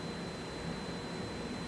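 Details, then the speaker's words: Signal processor (SLEP tech refresh) cabinet with one of two hot-swappable redundant power supplies disconnected, LED unlit: a thin, steady high-pitched squeal over a low hum is the alarm for a failed power supply, stopping once the supply is replaced. "you may be able to hear a high-pitched squealing. If not, you will hear it in the radar shelter, indicating that a power supply has failed."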